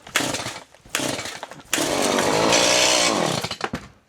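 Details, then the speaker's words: Chainsaw cold start after choke released, new fuel filter: several brief bursts dying away, then one longer run fading out; keeps stalling, owner suspects new filter still filling with fuel. "Which we'll probably have to do that a little bit more. Just to get the filter full of fuel."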